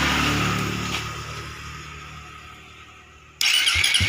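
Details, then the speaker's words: Suzuki GSX motorcycle with a starter that was dead (starter ground signal comes from the ECU), unused for a month. After a spark plug change and running from an external fuel tank, the engine catches and settles into a steady, even run: normal start and run. "masuk masih hidup ya"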